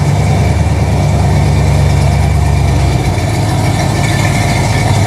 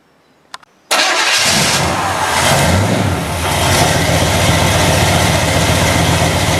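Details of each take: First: Chevy 350 V8 with TH350 after a refresh and distributor reinstall, with the fan not firmly mounted. Deep, steady idle burble with even firing and no knocks or ticks; the engine sounds healthy and settled. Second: Chevy 350 V8 with TH350 transmission, first start after refresh and distributor re-install: cranks, catches and settles into a loud, lumpy uneven idle; timing thought slightly too advanced, oil on headers burning off and smoking; timing to be retarded.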